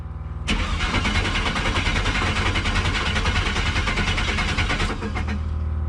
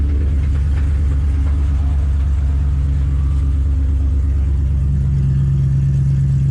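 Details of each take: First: LS V8 (5.3) in an S15 hot rod just out of storage cranks steadily about four seconds but never fires; no fuel pressure because there was no fuel pump relay, so the pump gets no power. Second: Cold start after six months in storage: budget 5.3 LS V8 in an S15 hotrod, never had an oil change, settles into a steady, even idle with quiet injectors and no lifter tick from the top end.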